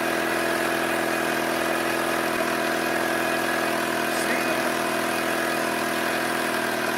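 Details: Ford Escape Hybrid idling, with a faint uneven puffing hiss over the engine note from exhaust escaping at the leaking flex pipe.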